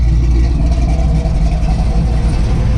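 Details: 1963 Chevy Nova after its cog-type drive belt and bracket were adjusted and shimmed: a deep, steady idle rumble, even and settled with no hunting or hissing. It idles cleanly.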